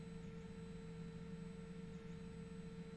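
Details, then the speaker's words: Ender 3-style Tevo Tarantula Pro after belt-driven single-motor dual Z upgrade, Z axis jogged up and down in short moves from the display knob: quiet, even stepper hum with no clicking; clicking returned only on very long travel. "I'm just moving up and down in short movements to make sure I don't hear that that clicking noise I was hearing earlier"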